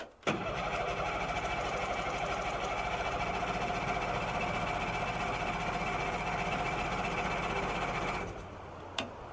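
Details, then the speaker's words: Outboard on a cheap Craigslist fishing boat, cranked dry out of the water before priming: churns over steadily about eight seconds with uneven chuffing, almost catches but never runs on its own; cause not confirmed. "let's see if she does crank it all hey she almost went"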